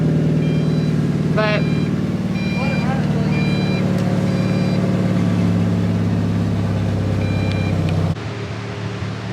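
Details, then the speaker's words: Mazda Miata after intake repair, throttle not yet working: idles on its own with low, lumpy, uneven beat, no throttle blips; rough unstable idle, cause not found. "the miata is running and idling on its own javi's been pretty much slaving over this thing right slaving yes slaving and right now it sounds like it has a rotary in it"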